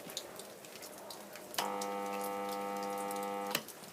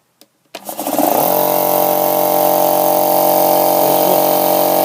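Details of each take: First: Unmarked 50-litre compressor, previously used in a garage for spray painting and not working, hums loudly but never starts; supply voltage drops and lights dim; owner suspects the start capacitor. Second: 50-litre air compressor after a new capacitor was fitted: a switch click, then the motor spins up quickly and settles into a steady, even hum, with far higher revs than with the old capacitor.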